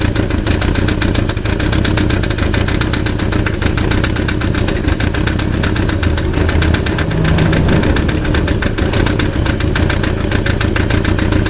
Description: Passat alemão com barulho no motor, barulho identico com o motor, catalizador solto.